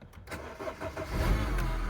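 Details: Astra following an earlier no-start: a brief crank, then the engine catches at once and settles into a steady idle. Normal start.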